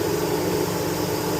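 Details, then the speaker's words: Chevy Tahoe with code P0128 and an erratic coolant temperature sensor reading: a steady whooshing fan roar with the engine off. The faulty coolant temperature sensor keeps the cooling fan on; the sensor is being replaced. "Let's have a check engine light on P 0 128 and the fan stays on while the car is not running."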